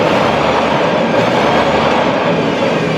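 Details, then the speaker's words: Toyota forklift engine after repair: steady even idle with no misses or surging; rough running was caused by a missing carbon brush in the distributor cap, fixed along with throttle body cleaning, new plugs, oil and filter. "no presenta la falla, ya está trabajando parejito."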